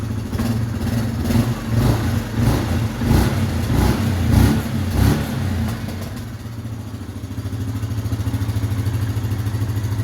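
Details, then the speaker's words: Fuel-injected 2016-2018 Yamaha Kodiak/Grizzly 700 ATV, warmed up after an oil and filter change: several quick throttle blips rising and falling cleanly, then a steady even idle with no knocking; normal warm idle. "Everything should be good and warm."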